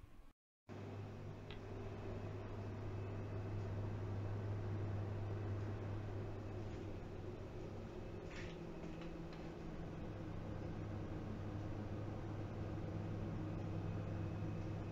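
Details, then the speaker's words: Montech Fighter 600 PC case, media-center build with side panel fitted: soft, steady low hum with a gentle airy rush, no ticking or rattling; case fans running normally and quietly. "so as you can hear the fan itself is really not too loud this is perfect for what i plan to do with the pc"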